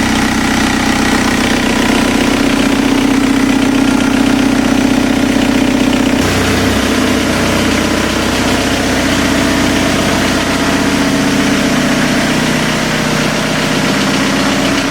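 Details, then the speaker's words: TDI diesel swapped into a Toyota pickup, new engine after a head gasket redo, warm during cooling system flush: steady, even idle with a smooth, unchanging beat and no knocks or rattles; smooth, quiet; normal. "This thing is running really good, smooth, quiet, and no more issues."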